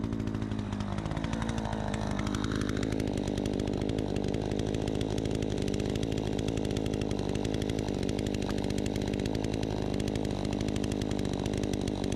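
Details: Troy-Bilt 20-inch chainsaw cutting after carb adjustment, started on choke: a strong, steady high buzz holds pitch through the cut without bogging. It is healthy and cuts better than since new; the owner thinks it could get a bit more RPM.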